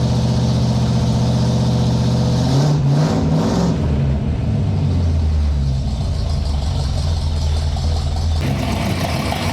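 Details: 1958 Chevy Apache truck with V8 and 4-speed manual, start during rejuvenation: catches, blips once, then settles into a steady low even burble; normal start and idle.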